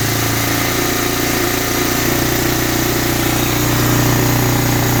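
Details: 1985 Honda Big Red 250ES first start after carburetor rebuild, fed from a gas bottle: single cylinder thumping at a steady, even idle over a rattly background. Normal idle.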